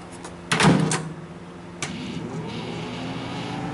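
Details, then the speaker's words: GoldStar Intellowave microwave with door opened very slightly: a door clack, then a low steady hum as the cooling fan and turntable synchronous motor start; magnetron stays off, so no hazard, but this shouldn't happen. "i don't hear the magnetron on i just only hear the fan and the little uh motor under there the synchronous motor besides that the magnetron is not on so there's no actual hazard"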